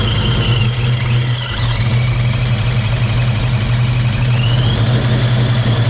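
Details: Project car just after first start in 11 years: loud deep uneven idle with lumpy low beat that never settles, sounds like misfiring; rough running, cause unknown, compression test planned.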